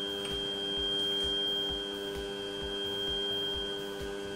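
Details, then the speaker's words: Newly assembled Tevo Tarantula Pro 3D printer running Marlin, homing: a clean, steady high whine with a soft even pulsing beneath it and no grinding or skipping; the Z-axis stepper is working properly. "eje Z está funcionando. Voy a ahorraros esto, simplemente tocar el final de carrera, una vez, otra vez."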